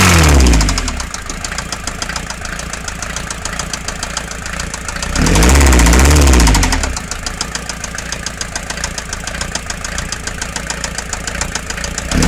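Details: Mercedes Vito 108D 2.3 non-turbo diesel with a new head gasket and piston rings, smoking at times: steady heavy knock about four times a second over a rough idle, swelling when revved; engine knocking, cause unknown.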